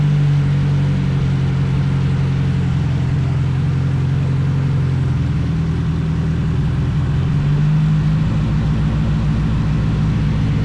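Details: Nissan Sentra turbo four build, running after a no-spark fault was fixed and new V-band exhaust welded: steady, deep exhaust drone with even pulses, no knocks or ticks; healthy.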